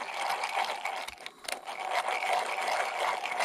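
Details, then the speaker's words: Mountain bike bottom bracket bearing, removed and soaking in degreaser, spun by hand: dry gritty uneven scraping as old hardened grease loosens; bearing shows some play; gritty bearing from hardened old grease. "but that's um that's getting a bit free of movement killing off all that hard and old shitty grease"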